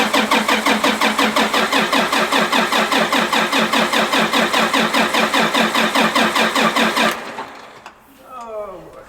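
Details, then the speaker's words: Tractor (the 340) cranking after fuel filters changed, air being bled from filter breather without success: starter churns about two and a half compressions per second, never catches; crank no-start from air in fuel system. "I'm changing fuel filters and there's one back in here that it's got a little air breather on top trying to bleed the air out of the filter right now and not having much luck"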